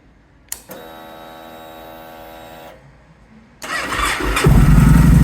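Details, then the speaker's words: Victory Jackpot V-twin motorcycle, 878 miles, stage 1 Bow X exhausts, cold start: starter whine about two seconds, pause, then it fires and revs into a deep, even growl; starts on the button, battery healthy. "Starts on the button. Battery sounds healthy. Runs really nicely, smoothly."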